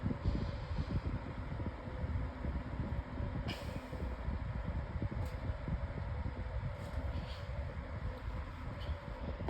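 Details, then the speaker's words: 2026 version of the Lasko 18-inch table fan on medium speed. Soft, even, quiet whoosh at a steady speed with no ticking, rubbing or wobble, likened to a cyclone pedestal fan; normal running. "Has a pretty nice sound. Sounds like a cyclone pedestal fan almost."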